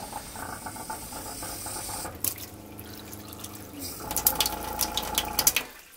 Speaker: just at low flow you get a fair bit of vibration so today's project we're going to go under the van and have a look at that pump see if we can dampen that vibration a bit